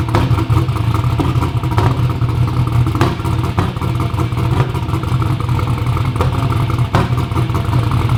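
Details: "Black Sheep" V8 race car at first fire-up runs rough and uneven with irregular pops and stumbles; misfiring from crossed spark plug wires. Crank trigger was suspected first.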